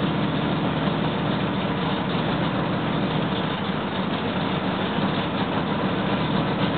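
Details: Freshly rebuilt L88 427 Chevy V8 from a '66 Chevy II, hydraulic roller cam, aluminum heads, first start-up: steady lumpy fast break-in idle with deep exhaust rumble and even firing pulses, timing roughed in near 35°.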